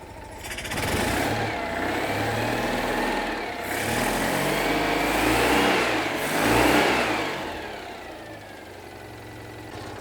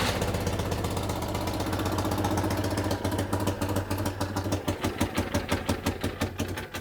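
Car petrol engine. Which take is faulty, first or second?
second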